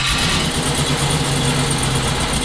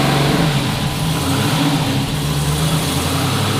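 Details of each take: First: 1974 Chevrolet Nova, twin-turbo 5.3 L33 LS swap: uneven lumpy idle with stumbling exhaust note; runs on front four injectors but dies on rear four alone; owner suspects bad, dirty or plugged injectors. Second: Twin-turbo 5.3 L33 LS-swapped 1974 Chevrolet Nova after cleaning the fuel system and adding fresh gas for bogging: strong, even rumble, no misfire, but idle sits fast and hunts slightly; tune and throttle position sensor were changed, so the TPS is a possible cause.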